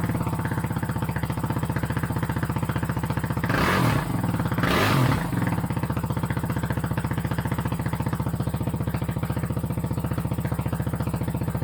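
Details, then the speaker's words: 2008 Kawasaki KFX450R sport quad, sat unused and would not start, running on its original fuel injector: loud, even single-cylinder thump at fast idle, two throttle blips, settling smoothly; exhaust baffle tampered with, may need repacking. Normal running. "actually sounds pretty good. It's very loud."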